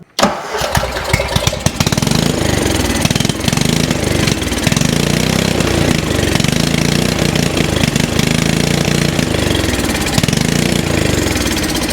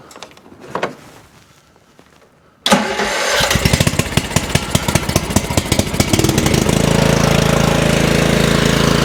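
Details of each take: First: Craftsman 30-inch riding mower, given away by a previous owner, owner thought it needed a spark plug: catches on carb cleaner sprayed into the intake, runs ragged briefly then dies; spark fine, carburetor fuel-delivery fault. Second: Craftsman 30-inch riding mower that would not start, after cleaning a carburetor gummed with green slime from sitting, choke on: after a short crank it catches and settles into a steady single-cylinder putter without stumbling or dying.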